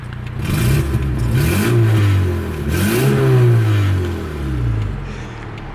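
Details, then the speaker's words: 1984 Toyota Camry DLX, under 100k miles, revved up and down twice with door open, loud deep blatty exhaust note, too loud because of an exhaust leak. "has an exhaust leak. It's not supposed to be that loud."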